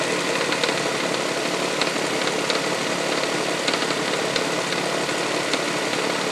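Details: 1999 Toyota Sienna engine taps at startup and when revved slightly, like something hitting the valve cover; sharp, irregular ticks over engine hum, also heard around 2300 rpm driving. Began after six NGK iridium plugs and an oil change. Cause unknown.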